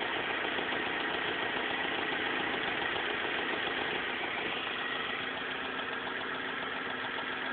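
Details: BMW M42 four-cylinder at idle: steady idle with a regular light tapping, roughly three to four a second, over the hum; cause not pinned down.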